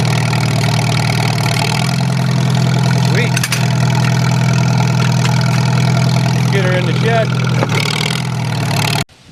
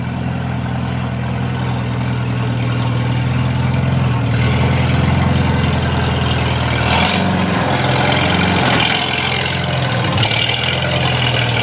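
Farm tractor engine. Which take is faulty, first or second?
first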